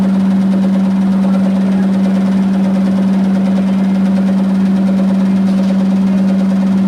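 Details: Electrolux 15 kg commercial washer in spin: steady low drone throbbing about two and a half beats a second, helicopter-like thumping at 600 rpm versus 1245 rpm.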